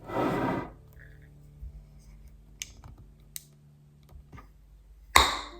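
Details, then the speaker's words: Pickled green beans, hot water bath canned without a canner, opened 48 hours later. Quiet handling clicks, then one sharp pop as the lid releases, like store-bought jars, showing a good vacuum seal. "did you hear that pop just as the same as those jams or canned vegetables from the store sound when you open them for the first time"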